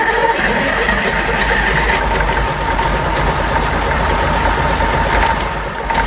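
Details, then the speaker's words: Fordson Major Perkins V8 diesel, first start after a long lay-up, starter solenoid bar lifted with a pencil while cranking: engine catches and settles into an even steady idle, no knocks or misses; normal idle after start. "And that, my friends, is a runner."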